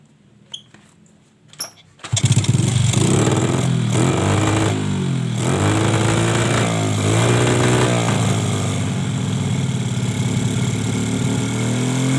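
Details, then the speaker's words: Suzuki Smash carburetor with the main jet drilled out too large: kick start, then a lumpy, uneven, heavy blubbery beat, running too rich and sputtering (brebet), wasting fuel; owner's complaint was throttle sticking and racing when hot. "kalau semacam ini ya kondisi suara yang semacam ini motor ini terlalu boros bensin ya tadi waktu apa melebarkan supir besar itu terlalu kebesaran makanya di sini menjadikan motor ini malah brebet sekali ya"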